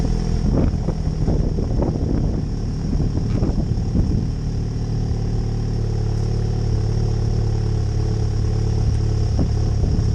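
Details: MK7 Golf GTI Performance Pack, first start after middle-box resonator delete (rear box kept); a few sharp throttle blips rise and fall cleanly, then a steady deep idle with a louder raw exhaust note; normal start and throttle blips.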